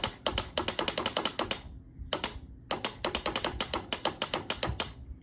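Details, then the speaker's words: 1993 Honda Helix CN250 scooter found in a sand dune, key on run and start pressed: bursts of rapid dry clicks about a dozen a second with no cranking; starter relay chattering, owner suspects the engine may be seized. "Nothing. Oh, there it goes. That's our starter relay."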